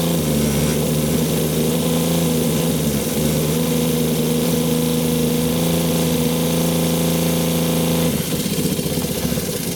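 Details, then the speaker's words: 2001 American Tradition RV 12 V fresh-water pump, low pressure and cutting in and out, voltage read at the pump: steady buzzing hum that suddenly drops and roughens as voltage swings toward zero; erratic operation from a poor connector. "Can you see the voltmeter? Keep holding it. The voltage is all over the place."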